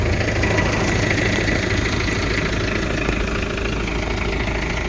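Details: 1983 diesel truck, started cold, now at settled idle after the manual cold-start throttle was pushed back in: an even diesel clatter with a steady rhythm and no misses or odd knocks. A healthy idle.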